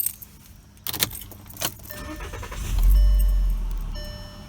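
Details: 2010 Volkswagen Jetta SportWagen SE with a 2.5-litre five-cylinder, about 5,000 miles into ownership: keys jingle, then the engine cranks, catches quickly and settles into a smooth, steady idle; a healthy start.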